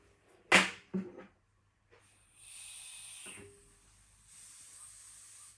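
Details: AP Inspiration CCR rebreather build-up, analyzing and pressure checking the cylinders (210 bar, 21.1% reading). A couple of handling knocks, then two even one-second hisses of gas flowing to the analyzer: normal flow.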